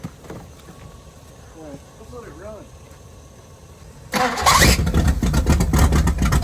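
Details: 1978 Pontiac Firebird with a 305 V8, abandoned since 1989, at first start with a working fuel pump. After a quiet stretch it catches and settles into a strong, even rumble without misses or knocks; it runs normally.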